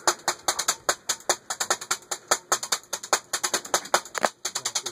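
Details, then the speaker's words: Modern Fan Co Industry ceiling fan in polished copper, running high in reverse: sharp, regular clacks about two or three a second as the blades strike a loose piece of plastic. "Oh, all the balloon sound went away on high reverse. Okay, we're hitting something. Yeah."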